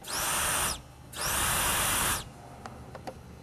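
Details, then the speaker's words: Boost leak test with the pressure tool on a turbo car: two loud, sharp hisses of escaping air from a crack along the weld on the intercooler end tank; the intercooler was removed and welded. "see that right there crack all the way along the weld on the end tank again noce when you put air pressure on it you can hear"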